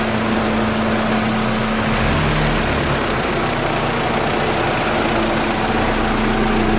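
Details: Mitsubishi L200 diesel pickup idling just after turbo rebuild and install, first start after preheat: steady even idle with smooth constant rumble, no knocks, misses or surging; healthy.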